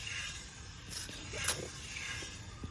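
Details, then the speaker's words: Wheel spun by hand on the side whose bearing was replaced a few months ago: quiet airy swishing from brake calipers lightly touching, no bearing rumble or grind; normal wheel bearing with light brake drag. "that is the noise from the calipers just touching we can't hear the bearing at all"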